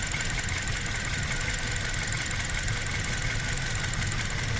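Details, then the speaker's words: Petrol engine idling with an uneven, lumpy pulse and cover rattle from heavy misfire; coil unplug test shows cylinders 1 and 2 fine, cylinders 3 and 4 dead, both ignition coils faulty. "Guys देख सकते हैं तीन number coil काम नहीं कर रहा है। यानी कि तीन नंबर सिलेंडर काम नहीं कर रहा है।"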